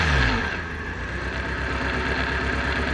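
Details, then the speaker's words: Petrol engine on a demonstration rig idles with a lumpy, uneven shaking beat; misfire simulated by disconnecting one injector, check engine light on. "se escucha el sonido tal y cual cuando falla un vehículo en la vida real no"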